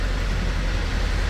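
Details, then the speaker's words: Mercedes Sprinter diesel van just after injector replacement and coding; low rumble with slightly uneven beat, lumpy rather than settled; always needed coaxing; rough idle. "about a lot about Lumpy but it's needed it's always needed coaxing"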